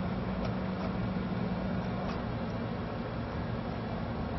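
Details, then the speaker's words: American Standard (Trane) outdoor condensing unit with the run capacitor removed and power at 246 volts: a steady low electrical hum with no start-up surge or running note; the compressor hums but cannot start without the capacitor. "you might hear the compressor humming trying to start but um without the capacitor it's not going to be able to so let's see what's going on"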